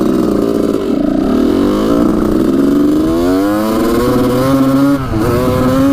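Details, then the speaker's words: 1985 Honda CR250 two-stroke after moving the carburetor needle clip to the third position: crisp revving with a clean rising note and no knock, healthy, though a slight leanness is noted. "good sounds pretty good to me that's awesome"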